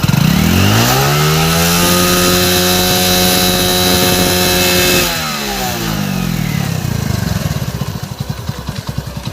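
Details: Hero Splendor Plus single cylinder after engine block replacement and rebuild: revs up cleanly, holds a steady high note, drops back to even idle; no smoke, work judged OK.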